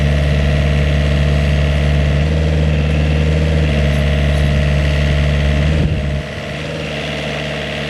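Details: Vineyard post driver planting posts in new vineyard: engine kept fairly high in revs, firm pneumatic hammer pounding about three times a second, then load eases; normal post driver operation.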